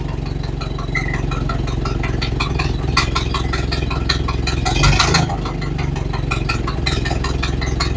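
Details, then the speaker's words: Model A Ford after new parts, valve set about a third of a turn open: even, low, loping idle with no stumbling or hunting, running well apart from a noisy exhaust leak. "okay okay so that went well started right up ran good except for that leaky exhaust it's a little noisy but that's all right I'll get to that"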